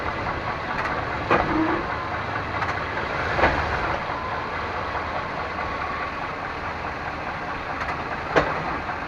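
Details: 1998 Chevrolet Suburban K1500, 5.7L, 4L60E automatic, 177k miles, in 2WD; steady idle broken by five sharp clunks shifting between park and drive and back; cause unknown, also sometimes clicks driving uphill.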